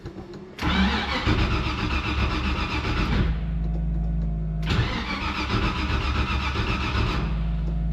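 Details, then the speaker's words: Carbureted vehicle that has sat for a while and needs to air up, started cold: it fires with a rough burst, sags, and needs another blip of throttle to keep running. It does not like to run when cold. "guys it doesn't like to run when it's cold"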